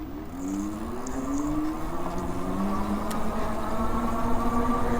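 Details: Biktrix Juggernaut Hub Duo e-bike after about 28 miles, throttle-only hill climb without pedaling: smooth motor whine climbing gently in pitch under load, no rattle, taillight buzz fixed with rubber; normal hub motor running.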